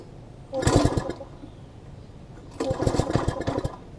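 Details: Old MTD front-tine tiller, long stored, after carb cleaning: catches in two short ragged bursts that die away. Won't stay running; later found the throttle linkage was hooked to the carb incorrectly.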